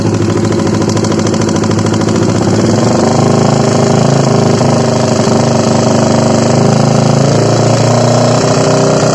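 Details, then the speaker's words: Honda CBR150 single at idle that previously ran completely out of oil and stays noisy even after an oil change; a hard, metallic clacking from the middle and top of the engine, from worn camshaft bearings. "Ya oke, jelas ya suaranya seperti itu. Jadi ini awal mulanya itu kehabisan oli ya. Olinya sampai kosong blong. Jadi akhirnya suaranya jadi seperti ini ya."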